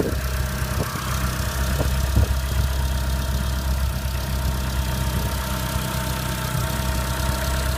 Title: Clio 197 Strange Engine Noise Cold